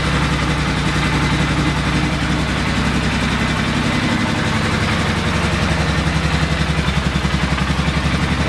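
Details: 2000 Polaris 6x6 after CDI, wiring and kill switch repair, with aftermarket carb fed by an auxiliary fuel tank: quick, steady, even thump about four beats a second, no misses or knocks; idling normally.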